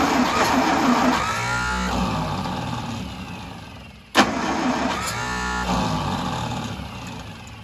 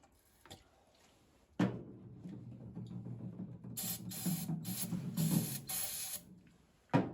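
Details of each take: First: 1952 International Harvester L112 engine after fitting a new 12-volt ignition coil, fed gas and starter fluid: cranking bursts then it catches and runs on its own, not yet steady; new coil also getting hot, ignition downstream suspected. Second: 1952 International Harvester L112 engine, decades unrun, spark confirmed at plugs, extra gas: long steady cranking with uneven near-catches that never settle into a run, then a torn belt breaks; failing ignition coil later blamed.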